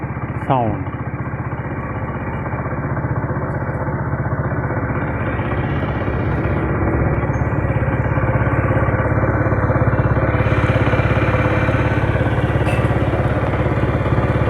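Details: Honda CD 70 70cc motorcycle engine, shown as a fix for engine noise. The small single settles into an even, steady putter of about three beats a second with no tapping or rattle: normal idle.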